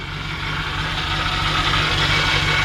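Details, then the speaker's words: 1954 Ford F100 shortbed engine at idle, steady high thin whine over an even idle; probably the power steering pump, possibly the fan, not confirmed; may need a power steering flush and fill. "you hear that little whine in there, and I'm not so sure that that might not be the, yeah, I think it's probably the power steering."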